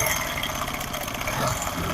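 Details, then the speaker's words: Motorcycle engine at idle: busy metallic chatter of a loose timing chain slapping its guides, tensioner not holding it tight; fix is fitting a cheap extra spring to take up the chain. "यह दोस्तों आवाज जो है यह timing चैन की है लेकिन हम इस स्प्रिंग से खत्म करेंगे"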